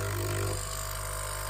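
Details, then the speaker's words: Nespresso U XN250 at temperature, running vinegar descaling: pump drones with steady low hum dropping in pitch, no gurgle, water level unchanged and nothing from nozzle; debris clogging flow meter intake. "and we hear the pump, but water is still in the same level, and no water comes out of the nozzle here."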